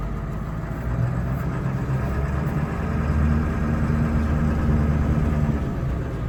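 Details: 1999 Ford F-250 Super Duty 7.3 Powerstroke diesel, automatic, 4WD, revived after sitting over 3 years, after clearing air from fuel: low steady clatter at idle, even rhythm, no misses or knocks, no smoke; normal idle.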